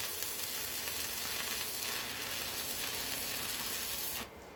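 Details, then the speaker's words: Yes Welder Arc 205 dual-voltage 110/220 V stick welder, 20-205 A: steady, crackling "sizzling bacon" arc that stops abruptly near the end; stable arc. "Do you guys hear that sizzling bacon? This welder has power."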